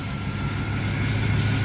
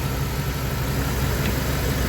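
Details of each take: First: 1997 Dodge B3500 van that sat 3 years, in for spongy brakes: a steady airy hiss over a low, even idle as air is drawn through a failed intake manifold gasket. The vacuum leak is also heard in the crankcase, and the coolant is gone. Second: 1997 Dodge B3500 van, after replacing leaking intake gaskets that caused spongy, fading brakes and oil-cap vacuum: steady, even low rumble with no hiss or stumble; smooth, healthy idle.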